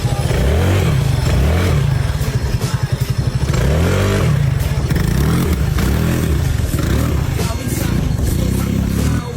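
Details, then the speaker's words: Motorcycle engine with camgrind on a low budget build: loud single-cylinder bark with uneven, lumpy firing and stumbling revs; carb needs tuning, owner suspects a clogged airbox. "So guys, need ako mag-tune konti sa carb kasi may palawak. Sa tingin ko yung airbox niya barado to."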